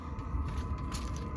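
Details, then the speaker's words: Diesel air heater in a UK camper van starting up normally: even low rumble with a constant mid-pitched fan hum, somewhat loud while just turning on but steady. "So if you want to hear my diesel heater and how, like, not that loud it is, you can"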